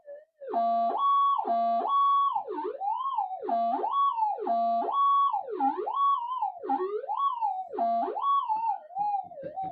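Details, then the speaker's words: GPX metal detector mono coil, ground balanced: warbling tone sweeps with each pass as a hot rock sets it off near solder blobs in the coil windings despite grounding. "so what you're seeing there is a hot rock even in here where it is actually uh grounded and covered it uh still goes off anywhere near those solder blobs which could be in any coil"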